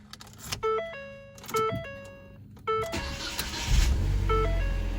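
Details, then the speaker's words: 2019 Ford Fiesta start after purge valve replacement, on a full tank of fuel; starter whirs briefly, engine catches cleanly into a steady even idle; normal start, check engine light still on. "okay so we're starting up normal everything looks good"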